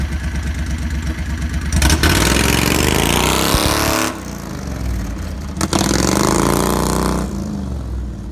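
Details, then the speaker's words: Renault car with a 670cc Predator engine and CVT drive, governor removed, new exhaust fitted, running slightly lean: the twin revs and the car launches with a steady rising drone. No shudder on take-up, so the earlier clutch chatter is solved. "foreign the car launches hard and it's as smooth as butter so it looks like the issue with the clutch chatter has been solved"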